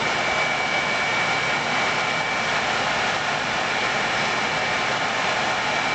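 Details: World Model A hand dryer, General Electric universal motor bench run, heating element disconnected: steady even air rush with a constant high motor whistle, no grinding, rattle or wobble; smooth bearings.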